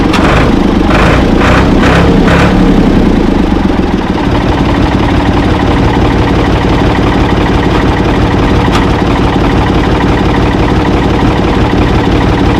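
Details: Ford 445 tractor, thought to be a 1970s model and bought at online auction, with a steady, even idle chug and no knocks or misses during a drive test; it moved, then quit, and the owner suspects worn linkage. Engine starts and runs good.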